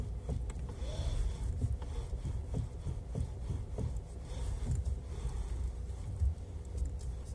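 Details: Kia Ceed facelift steering rack: dull, irregular low knocks and clunks through the chassis with no engine masking them; steering rack knock.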